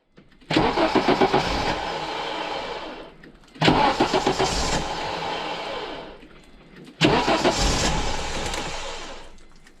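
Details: 1985 Audi GT Coupe, not driven for years, cranks and catches three times, running lumpy and dying each time: bad misfire and rough idle persisting after new plugs and wires; compression check came out good, so an injection or ignition problem is suspected.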